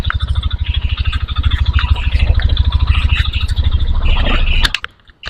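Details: 2022 Yamaha NMAX New scooter, about two years old, idling with CVT roller housing and pulley removed, mic held close: steady deep knock about three a second persists.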